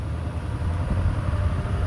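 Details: Diesel truck at a complete stop on a test drive after the smoke fault was fixed, no check engine light and no more smoke: low, steady rumble with an even beat, no misses or knocks; normal idle.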